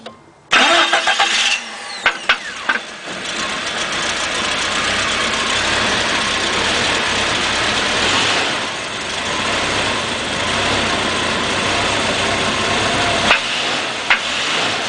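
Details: 1992 Jeep with a 4.0 I6 from a 1997 Cherokee: knocks hard and runs rough on start, then suddenly runs smooth, and gives one loud knock only when given gas; owner suspects piston slap or worn rod bearings, unconfirmed.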